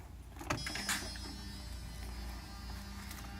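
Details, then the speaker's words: 1994 Mercedes 600SL V12: two repaired electronic throttle actuators at ignition-on, engine off. A short motor whir and click, then a faint steady hum as they begin the learning cycle; healthy actuators. "we have healthy sound from morph units I'll get to this in a minute they're going to go through learning cycle now"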